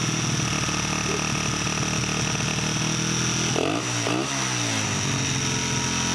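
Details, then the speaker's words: 1989 Honda XR100 dirt bike with new carburetor and throttle cable, first run before rebuild: crisp steady single-cylinder run with clean rev blips settling evenly; running properly. "that's pretty good it's not the easiest thing in the world to draw with just a cable no brakes"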